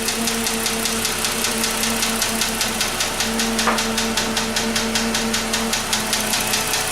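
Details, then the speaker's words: 2006 Dodge Magnum SE 2.7L V6 at idle: sharp light ticking a few times a second from the back of the engine behind the throttle body. Diagnosed as a hydraulic lash adjuster (lifter) tick; the valve cover is to be removed to fix it. "the hydraulic valve adjuster you might call it a lifter but it doesn't really live basically it sits in the block spring-loaded fills with oil for pressure"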